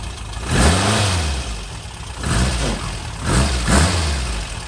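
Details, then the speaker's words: Freshened real Porsche flat-four in a Speedster replica, cold start on the second try, with fuel pressure being checked; it catches, blips up three or four times, then drops to an even, unlabored idle. "this is this is the usual Tom cson deal you turn the key and it runs like this"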